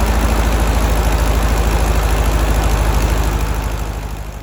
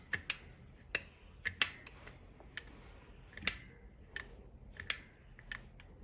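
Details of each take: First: 1964 Karmann Ghia air-cooled 1600 idling after the manifold vacuum leak was fixed, with the alternator fan off: a steady, even low thump and no rattle, confirming the rattle came from the alternator. Normal idle. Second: 1964 Karmann Ghia air-cooled 1600 engine that won't idle below 1500 rpm and stalls, heard after a linkage modification to clear the alternator: a steady hiss over the rumble, later traced to a warped carb base and manifold, plus an alternator rattle.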